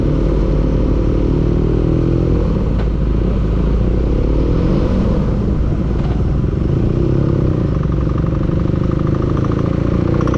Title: engine knocking